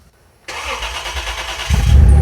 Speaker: Should be fixed now though. Let's try again. It's gonna fire right up.